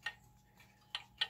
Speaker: we listen to it we can tell that this is completely out of be right